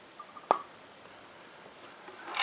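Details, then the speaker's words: Onoto 5500 plunger-filler fountain pen (circa 1930s, De La Rue 14ct nib), filled by pushing the plunger down in ink: brief bubbling followed by a sharp pop. Normal plunger fill. "I'm sure you could hear that, the bubbling followed by a popping noise, which again is precisely what we want to hear."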